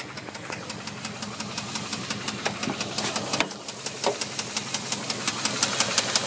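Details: Dodge Durango 4.7 V8 running: sharp, steady metallic knocks about three times a second, a rod knock at cylinder two.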